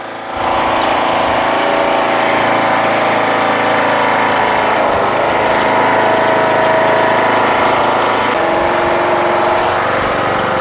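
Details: Craftsman LTS1500 lawn tractor with rebuilt 17.5 HP Briggs OHV single-cylinder made from two blown engines, on a test drive: strong, even drone, steady pitch under driving load; runs very well, though idle is set very high and the throttle is sticky.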